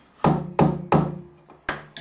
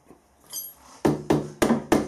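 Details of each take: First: Steel angle set up for milling a square door-bar hole, without support: sharp metallic ring on each tap, about three a second, decaying slowly, as the unsupported workpiece springs; a machinist jack under the centre stops it. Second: Angle set up for milling a square door-bar hole, with a machinist jack under the centre putting light load on it: five sharp, dead taps with no ringing, so the workpiece sits solid and no longer springs.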